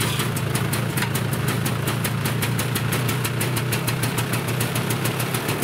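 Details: Yamaha Bravo 250 two-stroke snowmobile after carburetor cleaning for bogging when warm, mixture screw out 1.5 turns: quick even popping idle about five a second over low rumble; idles smoothly.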